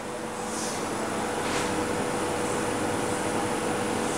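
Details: Homemade refrigerant recovery unit recovering refrigerant from an air conditioner, suction pressure nearly at zero: steady compressor hum with a constant mid-pitch tone and no knocking, rattling or surging. Running smoothly.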